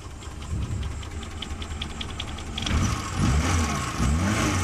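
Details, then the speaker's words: Suzuki Carry petrol engine that had been shaking, misfiring and using too much fuel, after all four spark plugs were replaced (one was half-dead): it starts and settles into a steady, even low idle with no stumble or shake. "yang penting sekarang sudah enggak goncang dan mesin bisa langsam ini RPM nggak ada setengah lur dan memang mesinnya masih stabil y"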